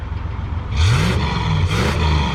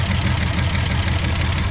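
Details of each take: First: Car with a 289 V8 after a top-end rebuild; it had been smoking under the hood earlier. Even idle, then two clean throttle blips climbing and settling back with no knocks or misses. Normal revving, sweet-running engine. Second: Car on a start attempt after gas was added and the fuel pump pumped. Loud, lumpy, uneven stumbling idle. Rough running engine, cause not confirmed.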